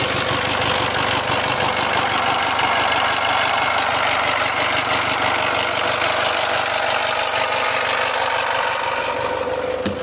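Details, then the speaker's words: Jaguar F-Pace 204DTD diesel after owner's rebuild, injector sound deadening not fitted: even, steady loud diesel clatter at settled idle, no uneven knock or misfire; healthy idle. "I'm happy with it all now it's running great uh sounds like a diesel so to be expected I guess"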